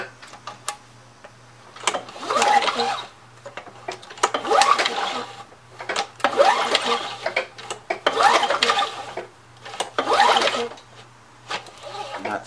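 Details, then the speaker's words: Curb-found Craftsman 917.377300 mower, Tecumseh Eager 1 6.6 hp, Vector carb: slow uneven pull-over bursts about every two seconds with no firing; cranks but no spark seen at the plug. "anything there yeah i'm not seeing anything on the sparky all right so we don't have a spark"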